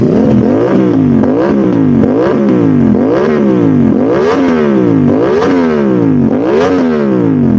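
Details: Modified Aprilia RS660, before remapping, after all disturbed connectors including the O2 sensors were replugged to clear the fault code: quick, clean throttle blips about once a second, revs snapping up and falling back evenly, throwing flame; normal revving.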